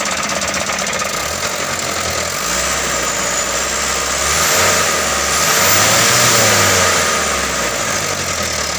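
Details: Mitsubishi Canter 125 diesel truck that was hard to start, after injection pump adjustment: settles into an even, steady clatter with no misses or stumbles; normal idle.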